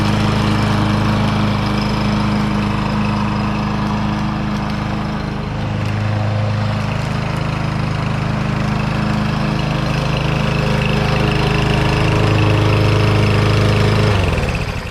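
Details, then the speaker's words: Troy-Bilt TB110 mower rescued from the trash after sitting, test run with air filter refitted: steady even single-cylinder drone holding speed without misses or surging until shut-off; earlier smoke gone, likely muffler. "Okay. I didn't see that smoke this time. Maybe it was just the smoke from the muffler."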